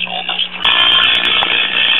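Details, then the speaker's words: 1968 Zenith AM tube radio model Y114C, chassis 5M04, after filter capacitor replacement; audio grows harsher and more distorted with warm-up as the output tube's control grid drifts to about +5 V; gassy audio output tube. "okay here we are after more warm warm-up time as you can you get more Distortion and our control grid voltage on the audio output tube is gone up a little bit higher generally that's what happens with these gassy audio output tubes"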